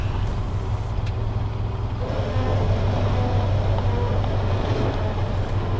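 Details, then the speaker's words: Subaru BRZ on old coilovers, one side sitting lower, with fiberglass fenders, crawling slowly over dips across a warehouse lot: low rumble with a rough scuffing rub partway in as the tire rubs the fender lip. "it's fiberglass fenders it's not like it's a stock body and I'm rubbing on just like the normal fender like that's probably not that good to be rubbing on"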